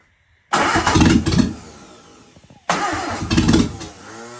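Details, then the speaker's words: Sunbeam Alpine first start on the carburetor without starting fluid, battery freshly charged: two short starts, each firing and revving raggedly before stumbling; runs rough and needs adjustments, distributor lead wire involved. "Oh, yeah. All right, this is going to take Oh, what did you do actually? >> take some adjustments."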